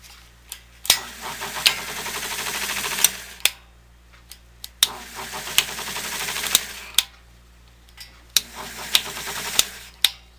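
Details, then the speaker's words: 1970 Triangle Mobile Home Products bathroom exhaust fan, running with its screen removed: repeated papery fluttering rasp with sharp clicks every few seconds as something gets sucked in and caught in the fan; foreign object stuck in fan. "well that won't do now to try and get that out of there isn't that funny didn't help to run it so much with it stuck in there"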